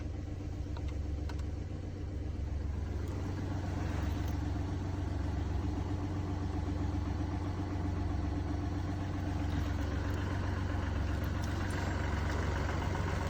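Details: Mini Cooper D three-cylinder diesel, steady low idle with loose regular rattle about four knocks a second; mechanic diagnosed broken, worn dual mass flywheel carrying clutch springs; juddering after clutch lift reported.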